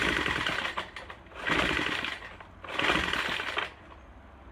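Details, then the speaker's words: Troy-Bilt TB4HB EC four-stroke leaf blower, unstarted 4–5 years, fresh fuel lines, full choke, primed: surges and sags unevenly about every 1.5 seconds, never steady, running rough. Air breather loaded with oil; owner suspects compression leaking into crankcase. "After we got this started, it was running really rough. I took the air breather cap off the back and it is loaded with oil."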